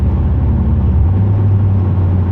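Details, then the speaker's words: 2008 Pontiac Grand Prix GXP with newly installed Thrush welded muffler, light throttle driving; steady low exhaust drone that deepens and thickens as Active Fuel Management (DOD) switches into and out of four-cylinder mode, normal cylinder deactivation the owner finds annoying. "it's not changing gears it's just turning it on or off so here listen now it's on it's not in four cylinder yeah it's gonna switch again here pretty active fuel management afm dod whatever you want to call it i call it dod"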